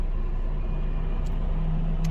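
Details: Honda Civic with crank-no-start after engine change, running after the fault was fixed: steady, even low rumble with no misses, knocks or stumbles; normal running.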